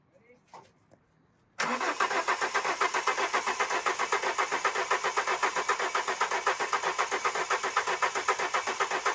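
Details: Alfa Romeo 145 Cloverleaf after sitting 8 years, fresh fuel added to a 3/4 tank: starter cranks steadily at about four beats a second but never catches; fuel pump found not pumping, pump being removed.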